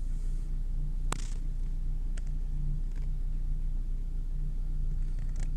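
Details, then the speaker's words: Renault Clio 2 1.4 16V petrol, cold start, idle settling. The hum swells and dips unevenly with occasional stumbles and the shaking slowly calms. The scanner shows a cylinder 1 misfire despite a new spark plug. "donc ça ça se calme par trop de tremblement et comme j'ai dit au départ donc la valise me donne un dérapage sur le cylindre numéro 1"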